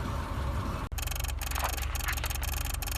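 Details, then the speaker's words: 2001 Subaru Impreza 2.5RS (GC8): rapid, uneven dry ticking bursts inside the cabin over a low hum, traced to the shift lock unit vibrating and chattering; keyless entry module first suspected but ruled out. "So it's actually this unit all the way up here. For the shift lock unit. So I'm holding it right now and you can hear it vibrating."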